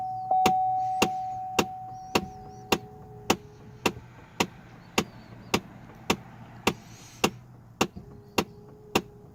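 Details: Trailblazer/Envoy, AC and heat blowing only from the windshield vents: sharp, even clicks about 105 a minute from under the dashboard, traced to a failing HVAC blend door actuator.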